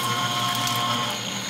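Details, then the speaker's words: Refurbished industrial shredder with repaired plastic gears, induction-motor driven, shredding HDPE plastic strips: steady high-pitched motor whir, blades chewing evenly, no clunks or slipping; shreds well, normal. "yeah look at the shred baby that's nice that's nice"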